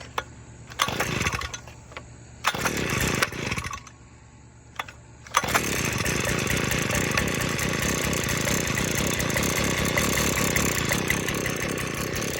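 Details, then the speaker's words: Cold start of an Earthquake mini tiller's small two-stroke after sitting unused a while: switch on, a couple of primer pumps, half choke; a few pulls and bursts, then it catches and settles into a steady, slightly rough buzz. "So let's do a cold start on it. It hasn't been started in a while."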